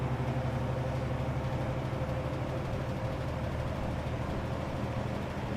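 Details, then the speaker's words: 1963 GE F15W13 three-speed electrically reversible box fan on low, motor just reaching steady running speed, sitting on a rug; low steady hum with faint even mains tone, no rattle or scrape: smooth quiet normal running. "This thing is motionless and you can't hear it run. It sounds like it's just now up to the low RPM. It's not gaining speed anymore. It's just kind of running at a steady speed now."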